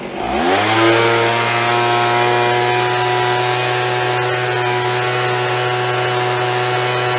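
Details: After carb cleaning, carb kit and trigger modification so throttle fully opens and closes, Craftsman (MTD) B2000 25cc two-stroke blower (had "wont stay running"): revs up cleanly, settles into smooth steady drone with no surging or hunting; fixed, running normally.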